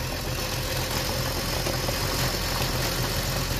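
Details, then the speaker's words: Normal slurping from the open dipstick tube on a BMW M54 petrol engine with a newly replaced, working PCV valve: a steady sucking slurp with a slightly rough idle, which stops when the tube is plugged; normal behaviour. "Teraz zatkam i nie będzie słychać siorbania. Teraz odetkam, będzie słychać siorbanie."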